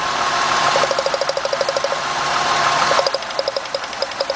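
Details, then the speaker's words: 2000 Mercury Cougar with a misfire, idling while ignition wires are pulled one at a time: uneven, stumbling idle with a choppy pulse about three per second, worsening as each good plug wire is pulled; ignition misfire. "Look at the next one. Look at that guys. See the misfire."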